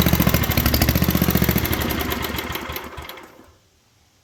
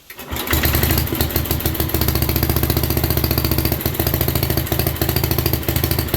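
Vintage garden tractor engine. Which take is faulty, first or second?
first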